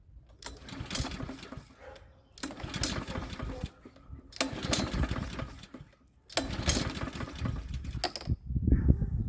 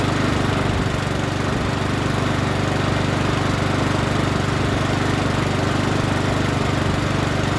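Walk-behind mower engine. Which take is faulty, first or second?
first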